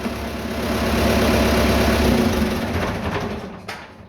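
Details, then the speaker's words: Vintage "77" diesel tractor that had no start from an empty tank. After refuelling it catches and settles into a steady, even diesel chatter with no misfire or knock. "All right. really put this tank in there. Of course, it fires up! It fires up!"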